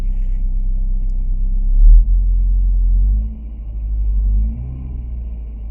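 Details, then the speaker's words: 1994 VW Golf 3 Variant 1.8 with Bosch mono injection, just started after replacing the injection unit gasket: low, steady, even rumble with no misses, knocks or hiss. It idles smoothly and no vacuum leaks are found. "Seems to be idling nicely."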